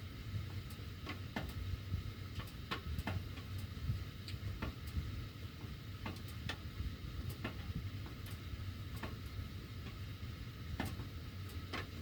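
Sharp, irregular ticks roughly every second or so over a low furnace rumble, coming from the ductwork; cause not apparent.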